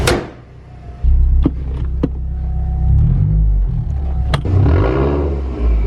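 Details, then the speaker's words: Mazdaspeed 6 after a simple fix; air/fuel now holds 14.7 at idle where it used to swing lean and rich, and the owner suspects a bad MAP. Low, even idle rumble with door clunks, no hunting or misfire, not smelling rich. Normal idle. "oh it's back a pump run and good sounds good doesn't even smell rich"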